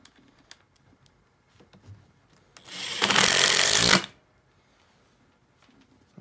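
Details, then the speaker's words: Makita XDT14 brushless three-speed impact driver on full speed driving a fastener: a short burst, about a second long, of fast, even, high crisp hammering chatter; normal impacting. "the reason I showed you that with the impact driver was to emphasize how with a regular drill it's gonna torque your arm over but an impact driver really doesn't cuz it's impacting there's no actual torque on your arm"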